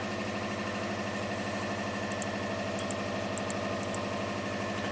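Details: Subaru with four ignition coils that barely runs with alternator connected, started with alternator unplugged: even, steady idle with regular low pulse, no misses, stumbles or knocks; normal idle.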